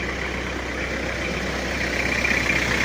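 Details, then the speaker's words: Toyota Kijang diesel after engine overhaul, warm after over 4 hours running, AC on, 1000 rpm: steady, even diesel clatter with a light hiss, smooth healthy idle, clean smoke. "halus kemeliningnya adem gak terlalu kasar ini RPM 1000"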